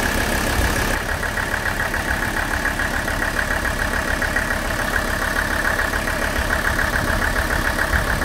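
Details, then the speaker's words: Mercedes OM617 diesel with high-output injectors, about three and a half minutes after Liqui Moly Diesel Purge injector cleaning: idle clatter with rattly tick about twice a second; knock returning but quieter than before. "it seems like the noise came back definitely not as loud as before"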